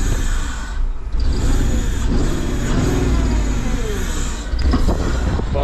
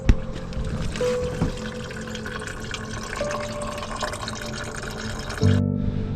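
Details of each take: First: Porsche Cayenne that sat off the road for years; start after replacing the alternator, working on the starter motor and refitting the intake manifold, fuel rail, pipes and electrical connectors; catches and settles into a steady, even rumble with no misfire or knocking; healthy start. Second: Porsche Cayenne cooling system pressure-tested at 10 PSI after refitting coolant pipes: faint steady hiss and trickle of liquid as coolant escapes; leak persists after repair.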